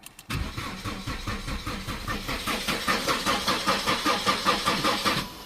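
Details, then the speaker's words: Holden Astra with 265,000 km: steady starter cranking with no catch. Compression is about 225 psi on all cylinders and spark is present at all plugs and coils, but no fuel leaves the injectors; relays and fuses test fine. Crank, no start. "she's cranking over but she ain't starting"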